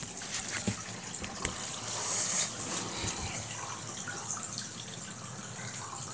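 Steady gush and trickle of water with light gurgling and no pump strain; the wash tub is draining out normally.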